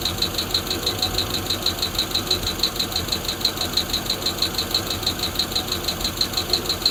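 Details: Freshly built Hemi V8 in a Plymouth Duster on first fire-up, homemade intake, temporary wiring and fuel cell: a sharp light tick about three times a second at steady idle, one lifter ticking; oil later found low; high-volume oil pump fitted.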